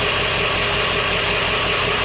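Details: Steady, even idle clatter with a regular low pulse from an OBS Ford 7.3 diesel after the IPR valve was replaced; the bad IPR had caused a no-start and a freeway stall, and there are no misses or surging now.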